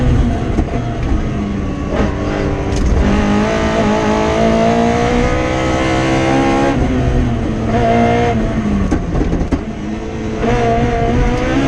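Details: Rally car on the Padmore Village to Golden Grove stage, Rally Barbados 2017, with a strong, clean note climbing and falling through the gears at full throttle and no stumble or misfire: a healthy race engine.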